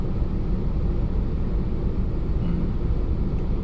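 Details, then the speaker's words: Hyundai Accent with about 135,000 km, warmed up after 1–2 minutes, air conditioning on, driving: steady, even low rumble with no ticking or knocking; some noise only at cold start, and a warm engine is quiet. "근데 몰면 몰수로 차 소음이 거의 없습니다 그 부분이 좀 마음에 들어요"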